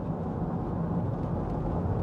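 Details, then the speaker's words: 2005 Nissan Elgrand E51 driving after new anti-roll bar drop links: only steady tyre and road rumble, no knocks or clunks over bumps where it used to make a disconcerting sound; front suspension quiet. "there's just that disconcerting sound and now no noise plus there'll be a little less roll and a little bit better still handling"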